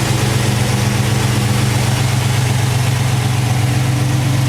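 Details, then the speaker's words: Cold start of a clean V8 truck with MSD 6A ignition and wires, 200 amp alternator, electric fans; steady fast idle with working choke and high-idle circuit, deep smooth rumble, no lifter noise, knocking or pinging; healthy. "Now that is a true cold start. You can hear there's no lifter noise, no knocking, no pinging, no nothing."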